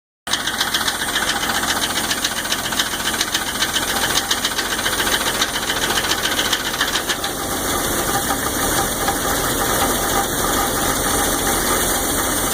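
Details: 1999 Jeep 4.0 at idle: constant light ticking, about three or four clicks a second, that stops briefly when pressure is applied on the #5 exhaust valve; owner suspects a collapsed or stuck lifter, piston slap not ruled out.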